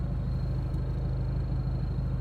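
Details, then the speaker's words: 2002 PT Cruiser at idle with AC on after cleaning out the part blamed for overheating, a common PT Cruiser issue: low, even, unhurried idle with no stumble, tick or knock, running smoother now, temperature gauge steady. "Alright guys, got her all back together. She seems to be running a little bit smoother now,"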